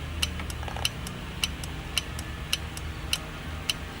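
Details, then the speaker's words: Relay K1 on a DIY Headfirst Cali/Jose Marshall-style amp PCB, fed 12 V in standby and grounded to energize the coil; crisp single clicks about once a second over a quiet hum, relay switching normally. "relay is definitely clicking all right so that's good"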